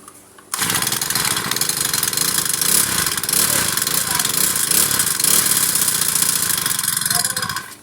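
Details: Old Honda GX35 four-stroke brush cutter that repeatedly fails to start, while its carburetor mixture screw is being adjusted. The engine catches, runs ragged and uneven for about seven seconds, then dies; the carburetor mixture is suspected and it likely needs cleaning, not confirmed.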